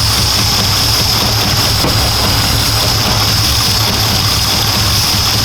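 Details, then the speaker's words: Audi S4 with 4.2 V8 started after about two years sitting: uneven lumpy idle that hunts, low beat stumbling over a steady hiss; owner suspects a misfire, running on seven of eight cylinders, and diagnostics are still needed. "but yeah it seems like it's missing maybe maybe running on seven instead of eight it tends it used to do that so that might be an issue but it's hunting a little bit again"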